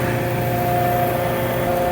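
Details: Oil transfer pump moving waste motor oil for a LANAIR MXD300 heater, suction line swapped to the correct side: steady even motor drone with faint constant whine, no knocking or surging; self-primed and running normally.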